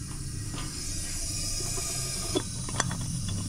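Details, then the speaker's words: Briggs & Stratton 14.5 hp single-cylinder OHV on a Poulan riding mower, engine off, leak-down test at TDC compression: steady hiss of air escaping, felt at the crankcase vent; head gasket leak suspected, not confirmed. "yeah you can hear the air escaping"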